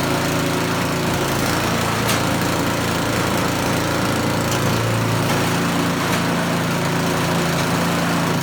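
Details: Small single-cylinder snowblower engine test-run after choke-and-pull start, before reassembly; steady, even drone with no stumbling or surging, holding speed. Running normally.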